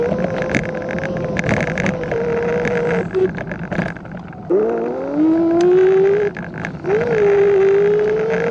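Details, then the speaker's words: Kugoo S1 Pro electric scooter in third speed mode, camera on front: steady high whine rising in pitch as speed builds and dropping as it slows; motor whines a lot. "you might be able to hear that motor it whines a lot does a lot of whining"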